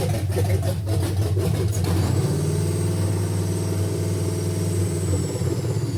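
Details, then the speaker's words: 1971 GMC C10 with a fuel-injected 5.3L LS swap, first start on very old gas, cranks, catches, then lopes at an uneven, choppy idle; running super rich and sounding heavily cammed though believed stock, and the tune needs adjusting. "It's running super rich. Sounds like it's super cammed. Far as I know, it's stock, so I I don't know."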